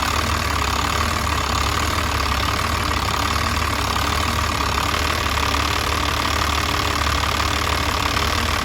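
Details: Diesel with a VE injection pump fuel leak: uneven, loping idle with irregular knock over the clatter; rough idle, cause suspected, not confirmed.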